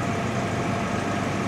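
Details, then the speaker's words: 1987 Jaguar XJ6 just restarted after long sitting and rat damage: steady, even idle with smooth hum and no knocks, ticks or misses, oil pressure 40; idling perfectly. "That's good. That's really good. She's idling perfectly."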